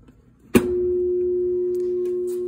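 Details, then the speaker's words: Maytag Centennial direct-drive washer with a no-spin, no-drain condition and water left in the tub: after a click, a steady low electrical buzz with no spin-up; the motor hums but the tub never turns, cause not yet confirmed. "hear the motor buzzing, no spinning of the bucket."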